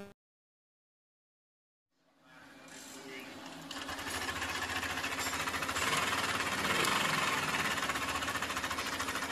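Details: Yamaha Aerox 155 VVA, previously noisy, after a valve clearance adjustment (0.10 and 0.15 mm): it fires and settles into a fast, even ticking of about three and a half beats per second, sounding healthy. Finding: normal running.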